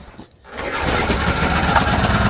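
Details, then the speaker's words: ETQ TG3000 3000 W portable generator, choke on, won't draw fuel through the carburettor; with carb spray it catches and runs rough, uneven and pulsing for a couple of seconds, so it runs only on carb spray. "Why is she not sucking in fuel? Joke is on. Let's add a little bit of carb spray. See if it continues to run."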